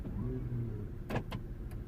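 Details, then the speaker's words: 2010–2012 Vauxhall/Opel Meriva B petrol with locking-system warning light and BCM code B2524-59: pulling the handbrake, a short motor whir then sharp actuator clunks as doors unlock straight away; normal central locking operation. "open. So it unlocks straight away, which is fine."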